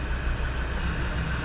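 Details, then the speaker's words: Land Rover Defender TD5 diesel after full service, warming up (engine known to run cool): deep, even rumble at steady idle, no misses, knocks or hunting; running a lot sweeter. "So, it's running a lot sweeter now. It's had a full service."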